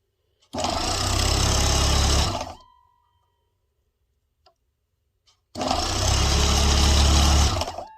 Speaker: Nice and smooth.